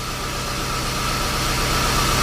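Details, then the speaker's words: 1998 Jaguar XJ8 Vanden Plas after throttle body cleaning to cure stalling: smooth, even idle with a constant hum and light hiss, no stumbling or hunting, a normal idle. "all right there you go and you have a much happier motor now"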